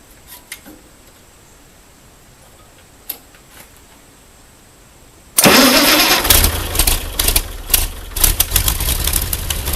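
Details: Ford 8N tractor with a six-cylinder flathead Ford truck engine, after a new battery, fresh gas and a homemade harness, choke pulled: near silence, then it catches and settles into a busy, even idle; starts cleanly.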